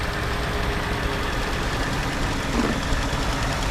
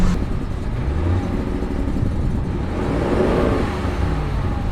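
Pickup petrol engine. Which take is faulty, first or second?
second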